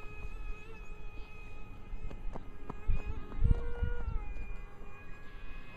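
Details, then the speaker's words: 55mm EDF A-10 RC jet, two motors on a single ESC, 3S 1300mAh 40C LiPo: high fan whine with wavering, beating tones, an uneven warble as throttle changes; owner suspects the single ESC driving both motors. "it uh kind of makes a warbling noise I'm not sure if that's due to the ESC or what"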